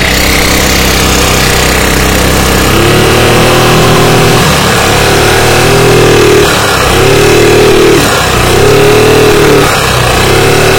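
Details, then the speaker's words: Carbureted Yamaha Mio scooter that loses power and won't move under throttle, revving with a harsh, busy clatter that rises with revs; valve clearance found far too large from a worn camshaft. "suara berisik jangan-jangan noken asnya udah ini juga"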